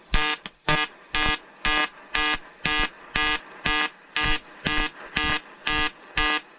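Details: EWM Tetrix XQ 230 Puls AC/DC inverter TIG welding 5000-series aluminium lap joint: 2.4 mm lanthanated tungsten, 2 mm filler, 94 A pulsed (0.20 s pulse/0.30 s pause), 150 Hz rectangular AC. Buzzy arc hum pulsing evenly about twice a second, crisp and steady; normal AC TIG arc.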